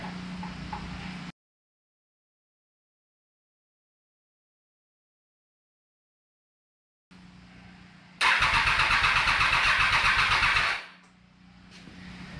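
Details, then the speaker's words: 2020 bike: about two and a half seconds of steady starter cranking, roughly four pulses a second, never catches; owner suspects the fuel pump, just changed, since no prime was heard. "Think it's the fuel pump because I didn't hear the fuel pump prime and I just changed the fuel pump."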